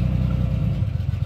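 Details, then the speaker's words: 1989 Chevrolet Celebrity 2.8 V6 with built cam, misfiring only at idle, hot or cold; vacuum leaks checked at EGR, throttle body and intake. Idle in gear stumbles and lurches with a choppy beat, clears when revved; owner suspects possible compression issue, cause unknown. "motor's shaking you rev it up and it goes away right back in idle cutting up again i don't get it"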